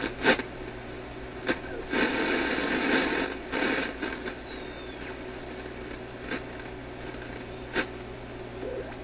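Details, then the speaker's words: Grundig 2540 AM/FM/SW tube radio after finding a loose lead on the HV selenium rectifier, FM test on a scrap-wire antenna: harsh, hissy, badly distorted FM with faint music and an uneven repetitive thumping beat; cause not yet found. "You could hear a little bit of a repetitive beat to it, and it's just sounding terrible."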